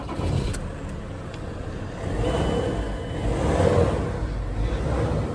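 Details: Ford Transit Mk7 3.2 TDCi 200T350 diesel, started right after a DIY service (oil, oil filter, fuel filter and air filter replaced): catches and settles into a smooth, even idle with a couple of brief revs. Normal start and idle.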